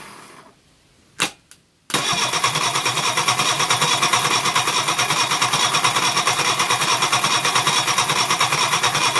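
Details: Reliant Fox engine, unrun for years, first start on the garage floor after ignition improvements, running on the fuel in the float bowl with the block filled with Coca-Cola. Two cranking bursts, then it catches into a fast, even, crisp idle with no knocks: normal running.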